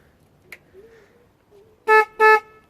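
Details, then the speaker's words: 1988 Yamaha Virago XV250 with broken stock horn replaced by an aftermarket blast horn: two short, loud, clean honks with steady pitch and no rasp; horn working properly. "I'm alright with that that's sound for right now I might change it later to looking at Google horn or something but right now that's fine"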